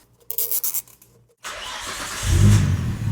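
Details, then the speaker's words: Nissan R33 GT-R RB26DETT, previously chasing a misfire under boost, fires up at once on the first start after an HKS Super Fire Racing Coil Pro ignition install. A few clicks, then it revs cleanly with no stumble; healthy start. "Typical HKS, which is awesome. I'm really really liking the way this car is running right now."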